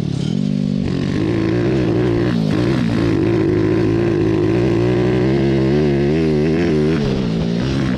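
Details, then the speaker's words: Homemade 190cc single-cylinder 5-speed go-kart, revived after sitting a year with strange running issues, on a hot lap: note under load wavers and stumbles unevenly instead of pulling steadily; running rough, cause still being diagnosed. "I think he's ready to go in I think he got a little bit wet so you heard it just wasn't running right we need to continue to try to diagnose this thing"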